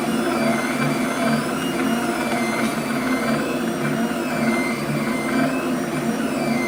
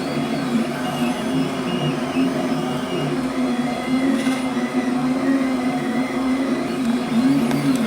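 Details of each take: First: Flux 3D printer stepper motors: constant high whine with shifting tones as they move, ringing through the frame via rigid mounts; damper modification decoupling motors from brackets makes the sound less high-pitched. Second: Flux 3D printer after fitting stepper motor vibration dampers that mechanically detach motors from brackets: soft even whirring with gently rising and falling motor tones, no harsh high whine; quieter, less high-pitched running.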